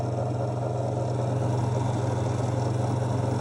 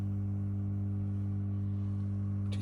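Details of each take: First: Victron MultiPlus-II 12/3000 inverter under load with fan running: steady low hum with faint fine rattle, gone immediately when the load is disconnected though the fan keeps running; returns with load. Cause unknown. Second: Victron MultiPlus-II 12/3000 inverter on 12 V lithium, inverting a 2 kW wallpaper steamer load: loud, steady low electrical hum of constant pitch, no buzzing or crackle; typical normal hum before the fan kicks in.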